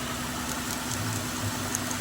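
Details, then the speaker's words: 2008 Ford Escape 3.0 L V6 that was burning oil, idling after the faulty factory PCV valve was replaced: quiet, steady idle behind handling noise, no ticking, hissing or stumble; sounds a lot better. Normal idle. "yeah sounds a lot better what you idling at listen to that now that's how quiet is now"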